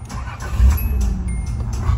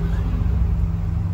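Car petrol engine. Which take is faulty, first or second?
first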